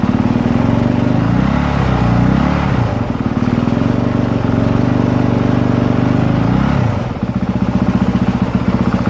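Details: 2023 Honda CRF450R, warm idle with coolant a little over 200 degrees: a couple of throttle blips, then a crisp, even single-cylinder idle with no knocks or misses; charging good at 13.64 V, healthy.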